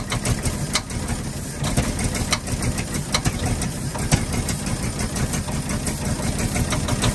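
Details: 1948 Ford F-5 ice truck, not run in 45 years, rough idle after first start with sharp irregular pops; number six lifter believed catching on its spring and snapping back, not a bearing knock.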